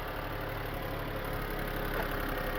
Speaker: my wife's going to start the car up and uh as you can hear she runs quite nicely I've warmed her up up she's actually warmed up